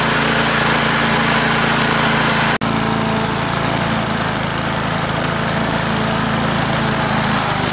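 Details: Australian-built Rover four-stroke mower after governor spring straightened: steady, high-pitched buzz at constant speed with no surging or misfires; runs healthy.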